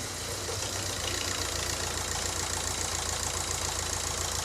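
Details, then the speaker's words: VW Caddy 1.9 TDI diesel DSG, just after a turbo change and cranking with fuel lines undone, smoke seen at start: steady even idle clatter about 3.5 beats per second, no misses or knocks. Normal idle. "Starts up on the fucking beat, mate. Listen to that."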